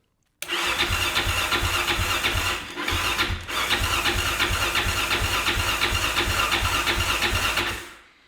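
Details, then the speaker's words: 2005 Yamaha Raptor 660, neglected, old-smelling fuel on reserve, freshly charged battery, no choke, about 20°F in southern Pennsylvania: steady starter cranking, never fires; cranks but won't start without choke, cold weather expected to hinder starting. "Nothing. Oh, mind you, it's like 20 degrees out here in southern Pennsylvania, so I don't expect this thing to fire up immediately, even if it was absolutely mint."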